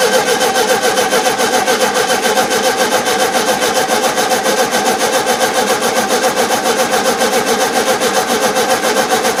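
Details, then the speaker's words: 1971 VW Super Beetle with freshly cleaned carburettor; long steady cranking at about three and a half pulses a second that never catches; starved idle circuit, owner suspects over-tightened idle jet with damaged seat; loosening it let it run. "there, I loosened that idle jet up, and now it's working. I close it, it struggles."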